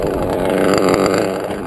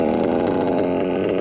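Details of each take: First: Modded Reds R5R .21 RC nitro engine, run deliberately rich for protection: soggy, uneven, smothered idle that may cut out; engine loaded up, smoking, needs clearing, idle not right. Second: Modded Reds R5R .21 RC nitro engine, still brand new and breaking in: fast, even, stable low idle, lowest yet seen, no stumbles; running cleanly.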